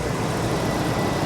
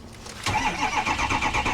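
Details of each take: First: Ex-police RAM 2500 HD truck, 142,000 miles, check engine light on, water pump recently replaced, possible manifold leak noted: steady even engine drone with no ticking, knocking or squeal; normal idle. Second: Ex-police Ram 2500 HD, 5.7 Hemi, 357,000 miles, cranked on a booster pack: even starter pulses about three a second for 2.5 seconds, spins but never fires; suspected to have lost its prime.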